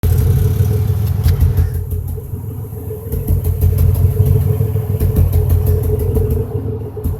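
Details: 2005 Impala 3800 V6 at idle: an uneven, lumpy, stuttering rhythm with one cylinder cutting out. It is a misfire that set code P0305; replacing the #5 spark plug, plug wire and injector did not fix it. Cause still unknown.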